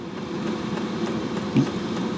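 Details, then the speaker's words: Diesel parking heater in a camper van with a 1.5-gallon tank: steady, even whoosh of air from the heater fan with a low hum underneath, no rattles or surging; fan running normally. "I sure hope you guys can hear me over the fan"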